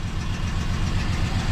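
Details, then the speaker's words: 1973 Dodge Dart Sport V8, warm, after head work, lifter noise gone: uneven, lumpy idle with a repeating stumble; two cylinders dead, thought to be 6 and 7, no change when their wires are pulled despite spark present and firing order checked. "this is number seven nothing it is sparking but it just got nothing just to show this is the one next to it it's definitely affecting it right there"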